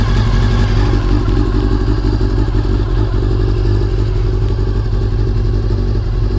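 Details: Honda CBR400RR (NC29) after fuel pump noise fixed by fitting a CBR600F fuel pump: steady, even engine note with deep constant rumble and no whine; normal running.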